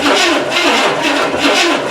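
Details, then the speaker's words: Home-built derby car, sat about two months outside, battery charge unknown: starter churns sluggishly about two turns a second without catching; slow weak cranking, owner suspects dead battery. "starter I don't know that sounds pretty dead to me should I jump in it"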